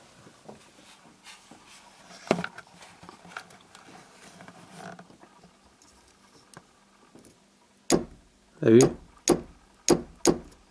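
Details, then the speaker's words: 1997 Renault Twingo 1 central locking, tested after disconnecting two ground wires for cleaning: five sharp clunks about half a second apart in a quiet cabin. The actuators click but the locks don't move, cause still unknown. "actionnariat du tout on entend le bruit mais c'est tout"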